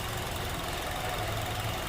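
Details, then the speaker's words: Honda CR-V 2.4L K24 after valve clearance adjustment, warm after 10-15 minutes running: four-cylinder idles smoothly and quietly with an even hum, slight vibration, no valve ticking; fix confirmed. "A little bit of a, you can see a little bit of a vibration, but it's not much. It's just a normal engine running, so it's quiet."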